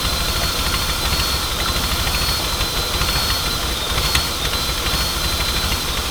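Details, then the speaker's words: Nissan Pathfinder at idle after a holed line to a fuel canister was found: uneven idle with a loud whistling hiss and unsteady beat from a major intake-side vacuum leak. "well it's still not amazing is it see if we can't find anything don't die on me oh okay there's a major league i didn't even get that yet you can hear like that hardcore whistling"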